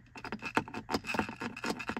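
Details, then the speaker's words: Loose hard object such as sunglasses rattling in a bare car cupholder of an SUV: quick irregular hard clatter, several taps a second, before a soft liner pad was fitted; loose item rattle. "컵홀더에 이 무슨 선글라스 같은 걸 얹어 놨다 그러면 딸그락 딸그락 딸그락 소리가 나기 쉬운데"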